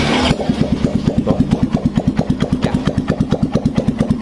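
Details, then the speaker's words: Yamaha Mio M3 125 scooter engine idling steady and even with soft pulses, no knocks or noisy exhaust; engine healthy, though water entered the CVT gear ratio via the filter box, noisy only when riding. "normal masih bisa hidup normal karena nggak ada knalpot yang berisik juga untuk di bagian mesin ini suaranya masih lembut"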